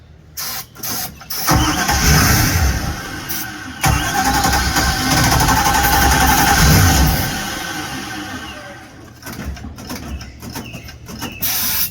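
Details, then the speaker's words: 1973 Holiday Mansion houseboat engine: short cranking bursts, then a rough catch on sprayed fuel that runs a few seconds and fades. It cranks but gets no fuel supply, so it's fuel starvation. "See, you're acting as my fuel. Yeah, so we're not getting fuel."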